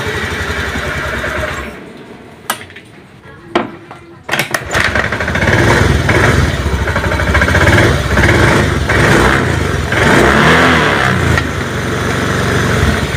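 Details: Honda Beat injection scooter that is hard to start, lacks power and won't idle, with strong spark: it cranks and catches after a few tries, then revs flat and uneven and won't settle; fuel pump pressure and injector are fine, and compression is checked next; low compression from worn piston rings.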